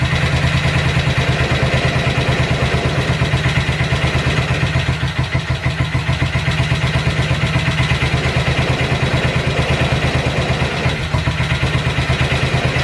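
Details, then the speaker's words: Cold-start idle on a BSA 441 single with an Amal carb cleaned after water and sediment in the float bowl caused sputtering and missing. A strong, steady, even thump holding idle without stalling; idle and mixture roughly dialed in, to be retuned once warm. "all right i just got it dialed in it's totally cold so i got the idle half decent and i was able to get control over the air fuel so i just slightly dialed it in close"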